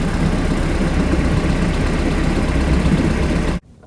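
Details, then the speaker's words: 2006 Bayliner 175 with 3.0 idling: a steady, even rumble with no misses or knocks, then a clean shutoff. An audible idle is just the way the 3.0 is, so it is normal. "Also, when it's idling, you can hear her running and idling away. Again, that's just the way the 3.0 is."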